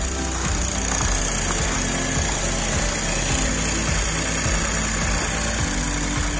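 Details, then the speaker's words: Škoda Octavia 1.0 TSI three-cylinder, 85 kW, cold start at -15°C, hood open, phone mic: steady slightly raised cold idle with light even tick, no stumbling or knocking; started without any problem. "Tak takhle si přede příválec. Nastartoval úplně bez problému."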